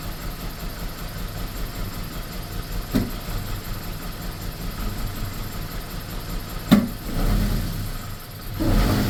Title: bmw e46 318 rough idle and misfires.